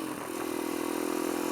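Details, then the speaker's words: Kawasaki KLX140 single-cylinder dirt bike with newly installed KX65 carburetor, test ride at quarter throttle: smooth, steady buzz without stumble or popping; running clean at low throttle though tuning still needed. "when a low throttle what's real good that's just a quarter throttle right there"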